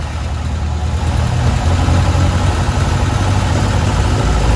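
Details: Tiger Cat E1 starting for the first time in ten years after carb cleaning and opening the idle mixture screws: catches and runs with a deep, fairly even burble that firms up slightly; normal running.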